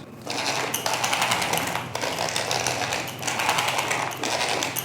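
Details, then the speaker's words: MJX Hyper Go 10208 RC truck, new out of the box, driven indoors: short motor bursts with a gritty rattling grind in the rear driveline, from a pinion gear slipping on the motor shaft. "I can literally feel and hear that there is something going on in the rear half of the truck."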